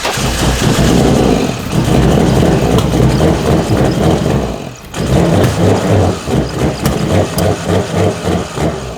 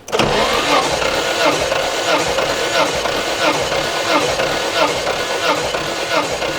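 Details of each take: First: 1991 Nissan R32 Skyline GTR with RB26DETT and ITBs, first start after sitting abandoned, on fresh gas: engine catches but surges and stumbles, nearly dying, won't hold idle because many vacuum lines remain disconnected. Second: 1991 Nissan R32 Skyline GTR RB26DETT, abandoned car, compression test cranking with plugs out and no oil added: even chuff about once per stroke, over 100 psi on each cylinder; normal cranking during compression test.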